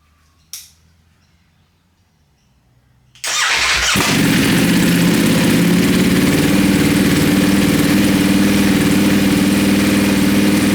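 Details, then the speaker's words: Wrecked 2020 Ducati Panigale V4S, first start: the starter catches and it settles into a loud, even, fast idle with open exhaust bark. It smokes from oil and fuel on the engine after an earlier backfire-like sound, but the engine sounds okay. "we know the engine runs I think now we should clean this whole thing down because that's probably the reason it's smoking is all of this oil and crap on the side the engine it actually sounds okay"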